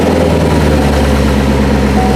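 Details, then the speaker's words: 2019 Corvette C7 Grand Sport, first fire after installing a Magnuson TVS2650 supercharger. It catches quickly and settles into a steady, even V8 idle with a deep rumble, no knocks or misses and a little blower whir on top; belts aligned, healthy. "there you go fire's right up belts are aligned obviously they're not coming off drop around this side of the hood you can hear a little bit of the blower there"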